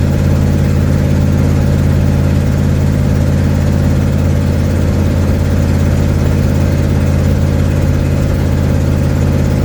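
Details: 1972 Ford Mustang driving home, phone in the dash, before repair: heavy low rumble with a rapid, uneven chuffing pulse over road noise while cruising, from an exhaust leak.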